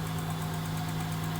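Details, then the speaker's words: 2002 Acura 3.2 TL V6 with 244,000 km, first start after a snapped original timing belt. Not misfiring but an exhaust leak is present. A light, quick, even tick at idle, unsure if it was there before; valves likely never adjusted, adjustment recommended. "I'm not sure if that ticking noise is there before though."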